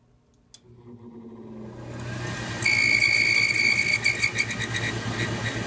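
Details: Whistling furnace blower in a 90% efficiency furnace, not very old; blower appears sealed with no oil port. Low hum builds, then a loud steady high whistle cuts in and wavers, getting louder over time. Owner wonders if the blower needs replacing.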